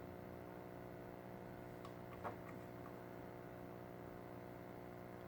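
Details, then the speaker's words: Probably late-1950s or early-1960s GE Musaphonic AM/FM tube radio, just switched on before any repair: a steady low hum with buzzy overtones and no program audio, noticeable but not terrible; the drying filter capacitors let ripple through and need replacing. "a little bit of hum already so i need some filthy capacitors it's not terrible but it is noticeable"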